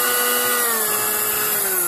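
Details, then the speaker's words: Sunbeam Mixmaster 12 at low-speed position one, after the low-RPM adjustment and regreasing the nylon gears and pinion: steady high motor whine easing slightly lower, about four turns a second, slightly rough but no grinding. Runs normally. "That's supposed to rotate about four times a second. And that's about right. And it's a little rough, but everyone I've heard on YouTube is a little bit rough."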